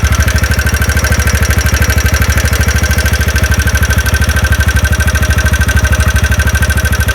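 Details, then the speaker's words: TVS Ntorq scooter at idle after one-way clutch work, engine refitted: sharp regular tik-tik about three per second persists, so the problem is not only the one-way clutch; connecting rod knock, connecting rod needs work. "तो देखिए अभी भी sound का जो problem जो है व solve नहीं हुआ मतलब आपका कनेक्टिंग का भी काम करना होगा तो यह ओनली वनवे का प्रॉब्लम नहीं है य कनेक्टिंग का भी प्रॉब्लम है"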